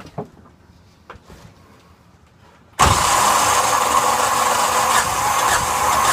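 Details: Yanmar SB12 marine diesel after fuel line repair and a second bleed, at about 41°F: sudden steady starter churn of about three turns a second that never catches; crank no start, fuel trouble likely.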